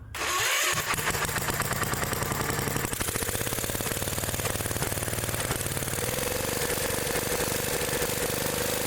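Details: Old Gravely tractor single-cylinder engine after new condenser installed: cranks briefly, catches and settles into an even, steady beat with no misses; points arcing less, sounds healthy.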